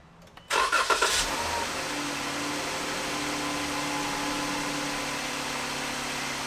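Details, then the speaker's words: 2015 Jeep Grand Cherokee after a repair for engine ticking: it catches after a short crank, flares, then settles into a quiet, even idle with no ticking. Normal idle. "right so it's nice and quiet that's what we wanted"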